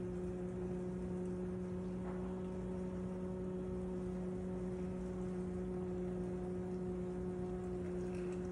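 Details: Loud running noise from a KitchenAid KDFM404KPS dishwasher: strong steady hum with a clear tone over water hiss, louder than normal; cause not evident.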